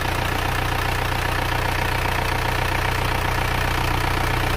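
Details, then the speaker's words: Rebuilt diesel engine after teardown and rebuild, now running: a smooth regular idle with a soft low rumble and no knocking or misses, sounding like a new engine. "mesin sudah hidup suaranya empuk halus seperti mesin baru"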